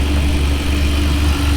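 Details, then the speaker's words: Ferrari 575 V12, converted to manual, idling after DIY timing belt major service with fresh 5w40 oil and G05 coolant: good oil pressure, steady temperature, deep even drone with no knocks or misses; running smoothly. "well we got good oil pressure started right up and then a grenade these are good signs well it appears to be running okay up here so that's all good stuff"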